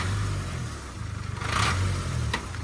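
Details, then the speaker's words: Range Rover Evoque (stolen-recovered) being revved; tinny fluttering rattle rides on the engine and climbs with revs: loose exhaust heat shield, likely clipped and moved; fix by adding washers under the mounting bolts. "see it it's a heat shield right that's with me holding it I'll take it my hand off TR now yeah you want to show it Rob it's just a heat shield"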